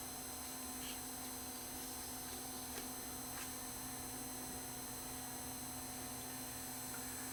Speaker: as you can see there is some noise just from the amplifiers in this thing even if there's no tape in it the amplifiers himself are lazy you can hear it hissing you hear motor noise too